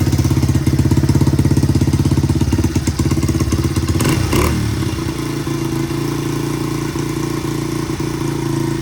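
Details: 1985 Honda XR100 after raising carb needle one notch to lean out rich half-throttle breakup, 38 pilot jet fitted: crisp rev and return to steady idle without stumbling; carburetion now clean.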